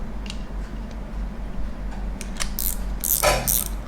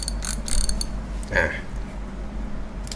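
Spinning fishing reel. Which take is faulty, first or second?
first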